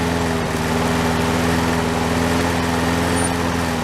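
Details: Toro SR4 mower single-cylinder engine after repair, oil drained from overfilled level to proper level: fast even buzz at constant speed, no hunting or misfires; running properly.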